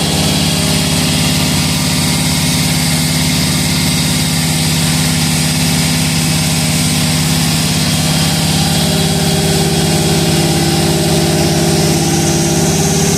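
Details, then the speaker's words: First start of a cammed 5.3L V8 on a base tune, not fully tuned, with freshly repainted headers: steady, even lope and deep rumble, no knocking, clanging or banging; sounds healthy. "while well it's not fully tuned but it's running on the tune he threw in it uh everything sounds good no knocking no clanging no banging"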